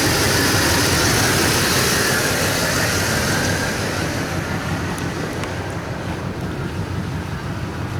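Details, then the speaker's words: V8 engine at idle with a rough, lumpy exhaust pulsing about three times a second, missing on a cylinder or two and smelling bad; scanner shows no misfire codes, owner suspects a vacuum leak or faulty O2 sensor. "listen to the exhaust it didn't tell you that's she's not running right hear them shouldn't be like that and she smells terrible"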